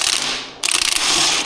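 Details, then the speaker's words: 2007 Suzuki DRZ400S, 11,000 miles, swingarm swung by hand with a couple of bolts out: rough ratcheting grind, sounds pretty terrible; worn swingarm pivot bearings, later found gone and needing replacement. "But I have the uh swing arm couple bolts out of it. Listen to that. Sounds pretty terrible."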